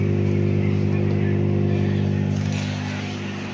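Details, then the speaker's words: Bosch dishwasher running after door magnet fix for a start problem: even, steady motor hum and smooth pump drone, no knocks or grinding; normal dishwasher operation. "ये देखिए अभी चल गई है मशीन, ये आवाज़ भी आएगी, ये आवाज़ आ गई आपको।"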